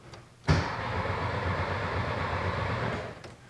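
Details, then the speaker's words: 1968 VW Karmann Ghia stopped by bad, dirty points: starter churns the engine at a steady even rate for a few seconds with no firing; crank no start, no spark. "yeah no no no spark"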